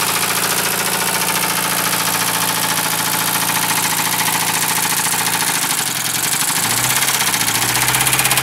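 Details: Mercedes 220D diesel idling with a heavy uneven knock about two beats a second, getting louder and harsher; rod knock after it was run low on engine oil.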